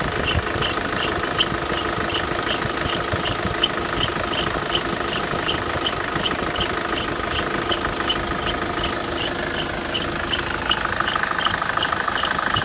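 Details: Idling engine with a thin high whistle and repeated sharp chirps over it, pointing to a slipping, squealing accessory belt.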